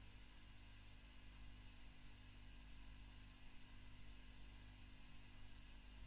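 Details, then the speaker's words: 2008 Fender Bassman '59 reissue valve amp after the V1 preamp tube was swapped for a Mullard: near silence with only a faint low mains hum and soft hiss; the earlier noise is gone and it now idles quietly. "Now that noise is the lights and that's suddenly gone much quieter."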